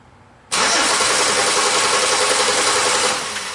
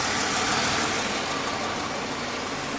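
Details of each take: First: 2005 Chevy Impala that stalls occasionally, while testing a suspected missing cam signal at the harness: fast steady starter cranking about two and a half seconds, then winding down without catching; crank no start, injector and cam harness problem. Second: 2005 Chevy Impala with occasional stalling and crank no start from an injector and cam sensor harness wiring problem: even, steady idle with no misses, stumbles or knocks; normal idle.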